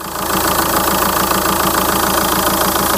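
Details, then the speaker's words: 2004 VW Touran 2.0 TDI 136hp AZV, warm after a drive following tandem pump replacement: steady, even diesel clatter at idle with no hunting or surging. Idle is stable with no abnormal vibration. "je n'ai plus d'ou au ralenti plus du tout d' F le régime est stable il y a pas de vibration anormale"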